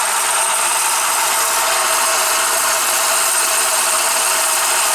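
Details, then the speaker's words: 2009 Subaru Forester with a burning smell, power loss and molten material from the A/C compressor clutch, at idle: a harsh, steady gritty grinding. The A/C compressor clutch bearing is completely worn out. "Yeah, just start it up. Even here, the bearing in there is completely shot."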